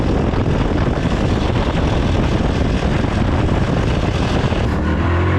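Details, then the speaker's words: 9-10-year-old Yamaha R15 after repair, including weak oil pump replaced with part from Malaysia, about three weeks: smooth even drone, steady firing, no top-end ticking or clatter; normal running. "เสุดท้ายนะครับเสียตังค์แล้วเครื่องเงียบเรื่องก็เงียบด้วยครับ"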